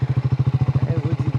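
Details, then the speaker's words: Triumph Scrambler 400X motorcycle, switched off and now cranking with steady rhythmic starter chugging, about thirteen beats a second, never firing; owner suspects overheating, should not have switched off; push-start attempted; cranks but won't start. "ഇപ്പൊ start ആവുന്നില്ല, of ആക്കണ്ടായിരുന്നില്ല. ഓ എനിക്ക് തോന്നുന്നു heat ആയതാണ്."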